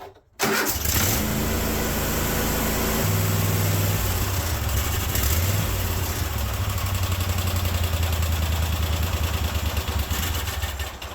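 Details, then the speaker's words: Kohler 24 hp SV725 engine on a Cub Cadet 1050 Hydro, cold start on full choke after a week unused, following idle circuit repair: speed steps up and down and wavers before settling. Rough cold idle, reluctant to idle right away. "does not like to idle right off the bat ever"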